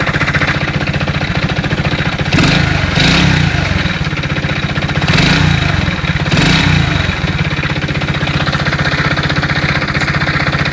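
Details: Alfa engine with 15,700 km, recorded before full teardown and inspection. Idling small engine with a sharp, regular tapping from inside the motor that speeds up with two short throttle blips. Engine knock.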